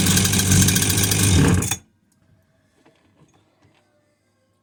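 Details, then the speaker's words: Husqvarna 345r brush cutter, unused all winter, after a new plug and priming the cylinder with fuel: busy two-stroke buzz running evenly for under two seconds, then silence; normal running. "was because it's been sitting all winter i've been studying for so long and what i did there now just brought it back to life"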